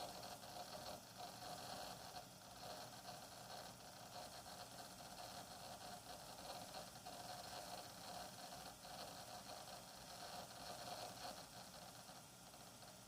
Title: Hard Drive weird noise